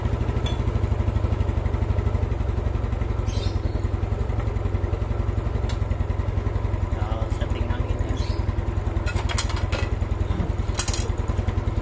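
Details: Old Yamaha Mio single-cylinder scooter after valve clearance set slightly loose to cure hard starting: even, steady low idle thump with no misses, street noise and chatter behind; carburettor still to be tuned.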